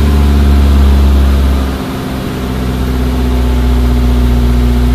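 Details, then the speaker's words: Suzuki Samurai/Jimny 1300 SJ413 JA51 just fitted with Toyota Corolla 3K-C 1.2L manual-choke carburetor replacing a Weber; cranks, catches and settles to steady fairly smooth idle, deep even rumble, runs well. "yeah it runs pretty good so you know you can tell"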